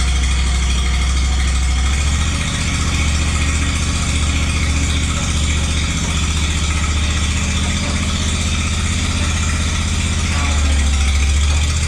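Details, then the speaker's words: Walker lawnmower after repair, deck bushings replaced and deck greased: steady even low idle drone with no knocks or misses; runs good. "It's all set, the thing runs good."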